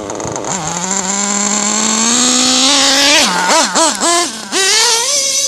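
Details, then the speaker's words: Modified Nova 28.8 / Teckno nitro RC engine warming up on about 80°F day: high buzzing revs climb slowly, blips sag and recover sluggishly at the bottom; high end seemingly okay, low-end needle still too rich per pinch test. "I still don't like the low end. I think the high end's okay. I still don't like the low end."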